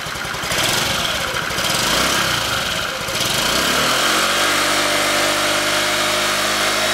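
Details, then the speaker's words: 2015 Honda Ruckus scooter, revived after sitting a couple of years, ignition on jumper wires: rough revving at first, then settling into a smooth, steady, quiet idle with an even putter; normal idle. "Oh no, it works. It works. Listen to that little machine pick them off. Listen to that. Listen how quiet that is."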